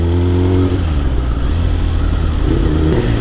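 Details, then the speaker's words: Motorcycle with DynoJet Autotune fitted, warmed up: short rev blip then low, even idle around 1000–1100 rpm with steady beat, no stumbling; occasionally a little loopy but smoothed out a lot; normal idle. "yeah smoothed out a lot and idle obviously listen to that i mean every now and then it'll be a little loopy but typically once it's warmed up then that's it you're good idle's perfect"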